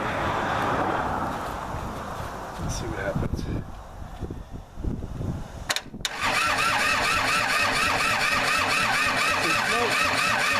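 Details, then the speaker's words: Kubota L2500 diesel tractor, long-sitting engine, cranked without using glow plugs on a weak battery, smoke seen from one hole: even quick cranking about four beats a second that never catches; diesel cranks but does not start, cause unconfirmed. "okay we're gonna give it a break I didn't uh hit the glow plugs or anything I might even fire if I hit the glow plugs"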